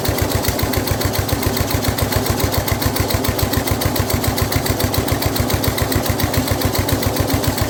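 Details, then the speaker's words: Older Snapper rear-engine rider, Briggs 12 HP I/C single-cylinder, abandoned for years, no choke hooked up, throttle manned by hand, blade engaged and turning: steady even thump about 3.5 beats a second, no misses or knocks, quiet; normal running. "Okay, so we got it running good. It does run well, but the blade is turning, which is why it had an issue starting, because it was, you know, trying to crank it with everything."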